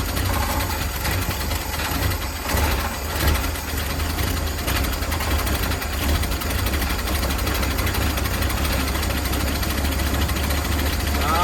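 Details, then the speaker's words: Carbureted V8 in a 1971 Ford Torino with a fuel delivery problem (spark plugs ruled out), being bottle-fed from a gas can; deep, uneven burble sagging then steadying, no valve-train noise, slight exhaust leak: stumbling from suspected fuel starvation. "So let's see if we can get it going good enough. Maybe to pull some fuel up out of that gas can. She's trying. She's definitely trying."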